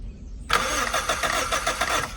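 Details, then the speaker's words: 1991 Suzuki Swift 1.6 AWD saloon, carburettor: quiet until it catches at half a second, then rough uneven idle on fuel poured down the carb; owner suspects a carb blockage, pump possibly okay, carb to be removed. "it's something fundamental it's just literally as you just saw you pour fuel down it works"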